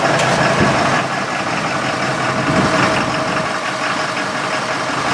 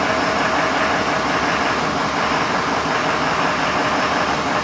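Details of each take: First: 6.7L diesel with diesel exhaust fluid (DEF) in the fuel tank, started briefly on fuel supply from a container: uneven stumbling clatter with loose irregular knocks at idle, not happy; rough running from DEF-contaminated fuel. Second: 6.7L diesel with suspected DEF cross-fueling, running off an auxiliary fuel tank during fuel system testing: steady, even clatter with no misses, knocks or surging; idling normally.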